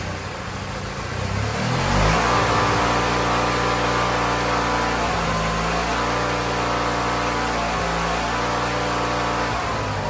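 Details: Wheel Horse GT-1600 WorkHorse garden tractor with Briggs engine, weathered after sitting outside, first start at full throttle after ether: engine catches, revs, then settles into a steady, even idle with no misses or knocks; runs properly.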